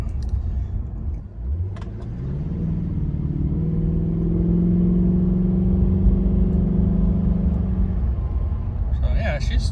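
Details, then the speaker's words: 2006 Audi A6 4.2 Quattro after replacing the failed high-pressure fuel pumps: engine picks up smoothly from idle and holds a steady higher rev with no stumble; previously fell on its face under throttle, now full power restored. "she's going pretty good now. I was never able to kind of give it that kind of throttle input before without it uh just falling on its face. So, it's it's kind of nice to to hear it going."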